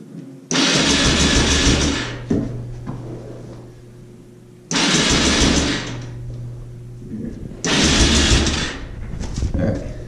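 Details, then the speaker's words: Yamaha Raptor 660 ATV cranking with fuel on and key on: three fast, light cranking bursts with no firing, spinning too easily as if compression is lost; suspected low compression, likely valves. "Customer says it doesn't start lost compression or it's just starting too easy or it's uh not rolling over correct."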